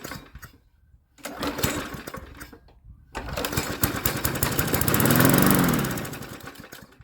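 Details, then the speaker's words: MTD 22-inch push mower, model 11-A084E029, started on starting fluid: it sputters, then revs into a heavy shaking drone with a rattle, shaking badly from a bent blade. The owner plans to fit a replacement blade and check the crankshaft. "all it runs is it shakes like the devil though G all right let me go get a different blade to throw on it real quick"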